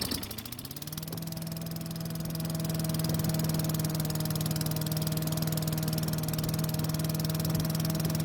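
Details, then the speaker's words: Craftsman chipper vac with Tecumseh engine, long stored, runs after repair with a steady, even note, no surging or over-revving as before (suspected stuck governor); a great running engine despite low compression. "so this time it ran much better and it didn't over rev like it did before all in all it's actually a great running engine despite having low compression"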